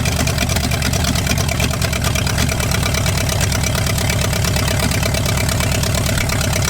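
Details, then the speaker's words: V8-swapped 1946 Dodge Deluxe with open headers, run off a gas-can fuel line: loud, steady, even burble at idle with no misses, knocks or ticks; sounds healthy, though a fuel fitting was found leaking. "that's the longest this car has run since I've had it sounded pretty dang good open headers right now"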